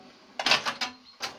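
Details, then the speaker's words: 1970 Bally See Saw pinball, German version without bells, fully overhauled: dry clacks and rattles from relays and stepping score reels, crisp and even; normal electromechanical switching noise. "This machine is a German machine, and as you can hear nothing but the electromechanical noise."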